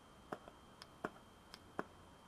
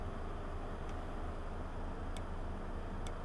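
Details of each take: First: VW B5 Passat 1.8T with EVAP flow malfunction code, purge valve bench-tested: sharp clicks about every half second, just a pop as valve opens with no air flow; valve restricted. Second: 1.8T VW Passat B5 with an EVAP flow malfunction code: purge valve off the car, bench-pulsed through an adapter, gives three light crisp clicks about a second apart over low background hum; it clicks normally.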